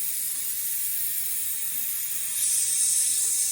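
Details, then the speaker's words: Car AC 3/8-inch hard line running the full length of the vehicle, pressurized with an air gun: a steady, sharp hiss that grows louder and changes pitch at the leak point. Refrigerant line leak pinpointed. "And so just get in here, start spraying with the old leak detector, and I could hear there's a slight change in pitch when I ran my finger along the line."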